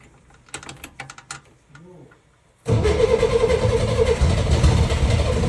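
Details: 1964 Chevrolet Corvair, freshly freed throttle butterfly and new gaskets, exhaust fallen off, running on starter fluid: a few faint cranking turns then a sudden loud rough roar; hard starting.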